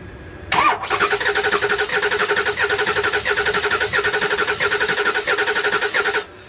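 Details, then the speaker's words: 6.0 Powerstroke diesel that runs rough, starter jumped for a cranking test: uneven cranking for about five seconds with some strokes heavier than others instead of a steady beat; indicates a base engine problem with poor compression. "This is the sound of one that has a base engine problem with poor compression. I'll just jump the starter here and we listen to it. Instead of having a nice even crank, we have"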